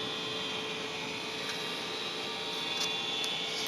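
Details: Trane XR80 furnace, about 15 years old, still working but making a loud, steady metallic whirring, buzzing hum with a high whistle at even pitch; owner wonders if blower motor or capacitor, cause unconfirmed.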